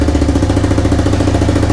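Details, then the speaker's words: 1985 bike (Big Red) just restored, started on a snowy morning: steady even thumping idle at a quick constant beat, no knocks or misses; runs nicely, normal idle. "let's do it again are you ready are you steady here we go boy this runs so nice"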